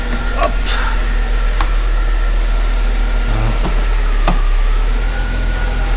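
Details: 2005 Mercedes CLK320 W209 M112 V6 being diagnosed for a no-start, before raising the car to check the transmission: a low, steady idle hum with a few light clicks, no hunting or knocking. Idling normally.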